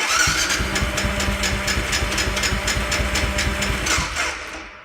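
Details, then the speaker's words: 2003 BMW F650 GS Dakar single-cylinder, about 50,000 miles, on a GS-911 tool: cranks with even chugging for about four seconds, nearly catching but never firing, then winds down. Owner suspects it is not cranking fast enough. "right on the cusp it wants to go but no"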